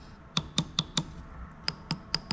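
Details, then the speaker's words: BMW E39 M5 VANOS rebuild: a cleaned VANOS solenoid valve is bench-pulsed, its connection and resistor needing no resoldering, giving crisp snappy clicks, about eight in 2.5 seconds. Normal solenoid valve clicking. "Oh yeah, you can hear that. It's nice, perfectly ready to go."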